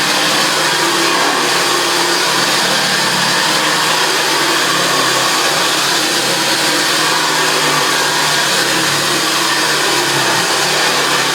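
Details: JaxVax Senior upright vacuum after refurbishment, running on carpet: steady even motor roar at one pitch, no rattles, knocks or bearing squeal; runs like a sewing machine and vibrates the floor.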